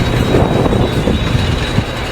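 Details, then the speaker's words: Farm hay equipment running in the field: thin steady high-pitched squeal over heavy low mechanical rumble, coming from somewhere up top; same noise occurred on first use this year, then quit; source not found. "You guys help us listen to this thing. It's fixing to make some noise, I'm afraid."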